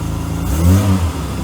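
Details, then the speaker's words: 1992 Mercedes-Benz W124 300E, low on fuel, brief rev: raspy, putting, lawnmower-like exhaust note instead of a smooth six. Exhaust leak; owner suspects the converter or a silencer and says a new pipe section is needed. "so this car is making a funny noise sounds kind of like a lawnmower and i'm gonna try to put a temporary patch on it"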